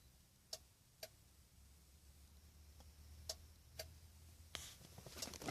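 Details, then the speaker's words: 2000 Nissan Maxima: sharp clicks in pairs half a second apart, repeating about every three seconds, apparently from under the dash or cluster in a quiet car after the doors were opened and closed; cause unknown. "I've been hearing this clicking noise since I left work my doors were going no open and close up on close and if you just got home and I'm hearing this goddamn clicking noise I don't have a clue what it is it sounds coming from under the dash or the cluster listen"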